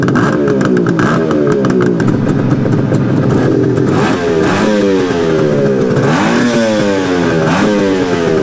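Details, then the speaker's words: 1973 Suzuki GT550 two-stroke triple, first start after 10 years stored, slightly warmed: raspy crackling idle and uneven blips; smoke slowing but still far too much, owner wonders if the crank seal sealed up with heat; oil pump to be checked. "the smoke is definitely slowing down though maybe the crank seal sealed up it's a little bit of heat I don't know and smoking way too much"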